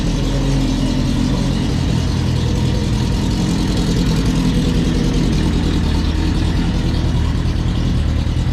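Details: 2007 Prince LSR sports racer with 2008 GSXR1000 four-cylinder engine, 205 hp: loud, busy four-cylinder note holding a steady idle with slight rasp, no knocks or misses; sounds healthy.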